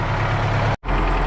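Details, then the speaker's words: MTZ-80 tractor, D-240 diesel, cold winter start after valves reset to factory clearances following lapping, not yet warmed up: low, even idle rumble with a steady beat and no clatter; runs evenly as it should. "Ну, сейчас работа уже ровненько, не торохтить, так як положено."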